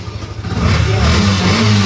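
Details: Yamaha FZ V2 that would not start (no starter motor, no tank fuel pump, no indicator light) until a faulty switch was fixed: a short crank catches at once and settles into a firm, even single-cylinder idle; it starts and runs normally.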